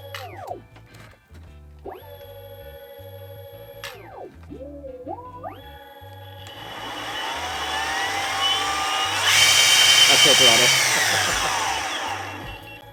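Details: New Exway X1 Pro hub-drive electric skateboard powering up with its controller turned on: a quick run of rising and falling electronic chirps, then a steady whir; normal, healthy startup beeps.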